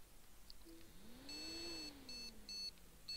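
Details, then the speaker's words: Asus H97M-E board, i7-4770, 16GB DDR3-1600 that powers on but won't boot: one long beep then several short ones at power-on, a no-memory beep code. Dust in the DIMM sockets is suspected. "yeah bleeping no ram um first thought on this is dustin the uh the dim sockets so let's just get some good focus i'll just clear them out with a bit of a paintbrush"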